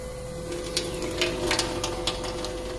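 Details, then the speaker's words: SEAFLO 56A diaphragm water pressure pump after bypass valve adjustment: even constant hum with light rattling buzz, no surging or cycling at any flow, and it stops when the faucet closes; correctly adjusted bypass. "when you shut up the faucet the pump stops that's a perfect adjustment of the bypass valve"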